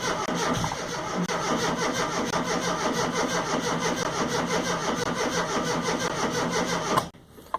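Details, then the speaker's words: Rover Mini Cooper MPI after months in storage, ignition on, in neutral, battery fully charged: long sluggish cranking at about three turns a second, never fires, fuel pump audible; owner suspects fuel or spark, possibly a dead MEMS 2 ECU. "lots of cranking no fuel I think you can hear the fuel pump rhyme and you probably can hear it on the video it sluggish I'm turning over there the batteries are fully charged"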